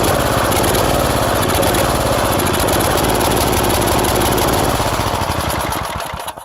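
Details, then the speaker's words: Small single-cylinder mower/tiller engine: heavy, lumpy beat that sags and dies; the carburetor runs far too rich even at the minimum setting, nearly flooding, with fuel leaking from the fuel pump. "And it's running way too rich. And I've set this to the minimum, but it's still running so rich that it's practically flooding the engine out."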